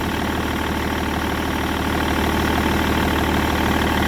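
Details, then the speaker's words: BMW E61 525d, M57 diesel, at idle just after replacing the accessory and AC belts: steady even diesel clatter with no chirp or squeal; belts sit nicely without movement, sounds about right. "See how she goes. Sounds about right."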